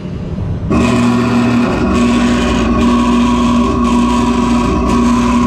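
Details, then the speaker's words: Lochinvar boiler not firing, with a stage-two low air alarm; the filter is nearly new. One of two inducer fan motors kicks in abruptly with a hum whose tone drops in and out; the inducer is hard starting. The capacitor is suspected and AMRAD caps were later fitted. "there's one issue so that one is having trouble turning on i'm gonna check the uh motor trying to spin it see how far it is because it could just be the capacitor"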